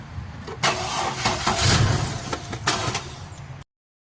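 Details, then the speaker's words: GMC truck that previously would not crank: after replacing the camshaft sensor, starter whirrs, engine catches and runs roughly a few seconds with a little gas, then stalls; camshaft codes cleared, battery suspected next. "all right so we got it to crank up which was great cuz before we couldn't get it crank at all so we're definitely on the right track but still stalling as I said"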